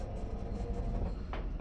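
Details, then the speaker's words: LG washing machine that washed but would not drain or spin; after replacing a cracked part with a new one, the spin cycle works: a deep steady drum rumble with no knocks or scraping. "ลองปั่นแห้งเบิ่งครับเพิ่นว่ามันบ่ปั่นแห้งทำงานแล้วครับผมวินแล้วครับนี่ปั่นแล้วครับ"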